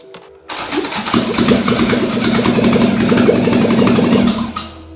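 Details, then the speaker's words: Toyota AE86 with a 4AGE 20V black top swap on a Haltech ECU, first start after the grounds were reconnected, no coolant in yet. Catches after cranking, then runs rough and uneven with sharp popping and flames from the exhaust. Rich running from excess fuel. "It started! Shooting a little flameage out the exhaust, but there's a lot of fuel in there right now."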